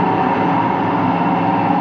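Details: Empty washing machine on rinse and spin with no clothes; a steady loud droning roar runs through the whole spin. Owner thinks both the motor bearing and the drum bearing are worn, and checked for a leak but saw none.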